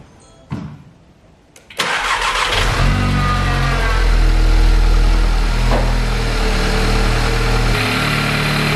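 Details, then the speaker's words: Audi S3 with a new engine, after coolant shut-off valve replacement: starter cranks briefly, then a smooth, even idle with no knocks or misses. Run 15 minutes to temperature with no leaks or overheating; running fine. "So I've left it running now for about 15 minutes. It's up to temperature. It's not leaking. It's not overheating. It's instantly running fine."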